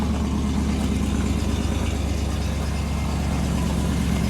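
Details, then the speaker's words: Ford AU XR8 Falcon V8 that sat about 5 years, microphone at the rear by the exhaust, before a new exhaust install: loud, raspy, blatty puffing idle and rev. The old exhaust system is leaking everywhere. "So, that sound was coming out the exhaust. I just didn't have anything to put the camera on, so that was just easier. But that's how it sounds. You can hear that it's been leaking everywhere."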